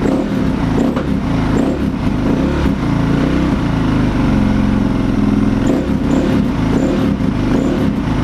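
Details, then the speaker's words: KTM 525 converted to supermoto, engine rebuilt from scratch with internal upgrades, not yet run on the road: single fires with an uneven, lumpy beat at steady speed; running rough after the rebuild. "it hasn't been run yet actually on the road so the engine's a bit bit lumpy at the moment after it's been rebuilt"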